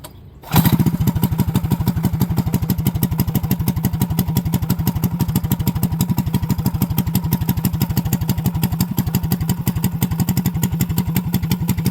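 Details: Small single-cylinder mini bike engine after a new clutch, new gas tank and governor mod: fires right up and holds an even, steady thump with no misses or knocks. Runs healthy.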